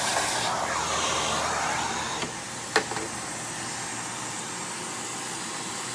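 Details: Hoover WindTunnel upright vacuum that starts and runs poorly; harsh, rushing motor roar with a rough edge that slowly sags, from worn motor bearings and a damaged commutator.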